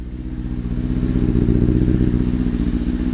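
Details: Kawasaki ZX-6RR after cleaning spark plugs, which cured misfire and fluffy running: crisp even firing pulses building smoothly with revs, no stumbles. Normal revving after fix.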